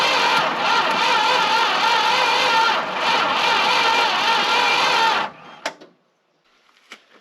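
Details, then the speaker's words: Long-sitting Dodge W300 4x4 dump truck, battery charged after slow cranking; about five seconds of rhythmic cranking, almost catching but never running; owner suspects weak battery or a hose-clamped wire, unconfirmed. "i'm going to throw the battery on the charger for a little bit and see if that helps because it's cranking pretty slow"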